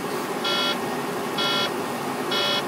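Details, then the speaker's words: Truck cab while driving: three evenly spaced high beeps, about one per second and each a quarter second long, over a steady cab hum; an on-and-off warning chime for three weeks, no fault found by the mechanic, suspected bad sensor. "so you hear this and i mean it is that annoying"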